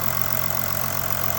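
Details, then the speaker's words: 2008 Jeep Grand Cherokee diesel, Mercedes OM642, 280,000 km, steady even idle with low smooth drone and light injector clatter; runs great, only issue a missing glow plug control module replaced by a dash switch. "it runs great as you can hear"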